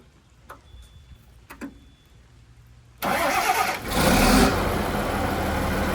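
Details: John Deere JD6081H diesel, still installed in a 300D articulated dump truck being parted out for differential issues, 10,739 hours: after a quiet pause it catches at once, flares up, then settles into a steady even idle with no knocking.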